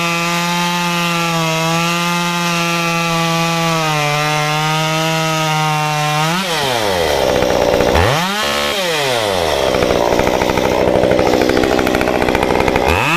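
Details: Modified Stihl 193T climbing saw (muffler mod, ~8–9° timing advance, limiters removed, 93 non-E fuel, 16-inch bar, PS3 .050 full-chisel chain): steady idle, then clean climb to full revs holding while cutting a log; healthy.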